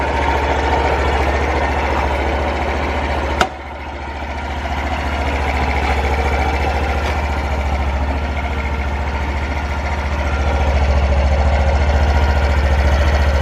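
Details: Honda Super Cub 50 FI AA04 parts bike, recall work done; small single putters at even beat, picks up cleanly when blipped and settles back, no knocks or rattles: normal idle and revving.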